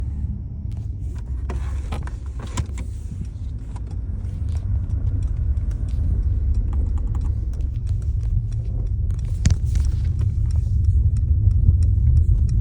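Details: Mercedes-Benz S63 AMG while driving: irregular sharp clicks and rattles over a low road rumble from the front axle and dashboard area; source not pinned down.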